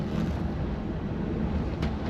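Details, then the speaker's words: VW Mk4 R32 with DSG conversion, after tightening a loose part over the driveshaft: low steady road rumble over bumps, no clunks or knocks from underneath; normal driving on test drive. "over a few bumps. That's driving nice, that is."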